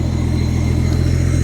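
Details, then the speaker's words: Yamaha-swapped turbo Toyota pickup, parked two years, first start after plugging 3/8 intake vacuum leak: deep steady low idle rumble with slight unevenness, idle low and hunting; owner suspects idle air controller or tuning done with the leak present. "It's idling a little lower than a guy would like. But I think that vacuum leak on the intake's been there for a little while."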